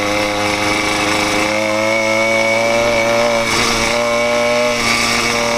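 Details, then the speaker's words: 80cc two-stroke motorized bicycle on its second ride, still breaking in: high, buzzy note holding steady pitch under load, crisp and even with no misfires; healthy engine pulling strongly. "She pulls though, boy. Holy moly."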